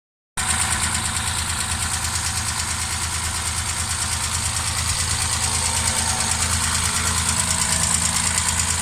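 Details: Triumph straight-six petrol engine idling with a steady hollow knock under the exhaust note, first thought tappet or rocker shaft but found to be piston slap; before rebuild with new pistons, balanced crankshaft, lightened flywheel, stock camshaft.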